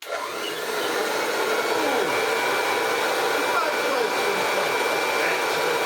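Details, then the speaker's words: Hoover Junior 375 upright, 1950s–60s, stored for decades, after a new cable and the start of restored airflow: a steady airy motor roar with a faint whine but no beater thrash. The brush roll is still not spinning. "problem is we still don't have any spinning brush roll action."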